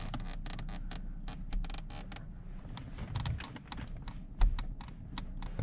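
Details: Genesis BH cabin: quick clusters of dry creaks and ticks from interior trim over a low rumble, before rattle removal work on the center area, gear shifter area and driver door.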